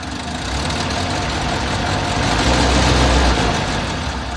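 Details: Six-wheeled Toyota truck, odd idle after fuel tank replacement, idles, dies and kicks up; owner guesses fuel problem. Heard after new spark plugs: idle swells and sags over seconds, rough surging running; cause not found.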